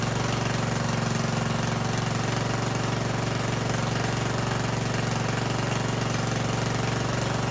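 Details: Yard Machines riding mower (2000) after cleaning the gas tank, new fuel line with shut-off and screen, tightened motor mounts and oil change: small single-cylinder engine running steady and even at fixed speed, no knocks or misses; normal running.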